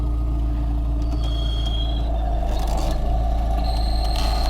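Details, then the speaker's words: Car with 112,000 km mileage, engine idling: a thin high whistle comes and goes as the clutch pedal is pressed; earlier it was only a noise, and the owner suspects the clutch release bearing and plans to replace it. "А сейчас засвистел уже сцепление Ну по ходу дела выжимной подшипник"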